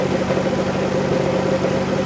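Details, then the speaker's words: Dodge Grand Caravan 3.6L, 133,000 miles, at idle: a light, fast metallic rattle over the engine. Others blamed a lifter, but it is judged not a lifter or rod bearing sound. "I'm gonna show you what the complaint is hopefully you guys can pick it up in the video it's that rattling sound"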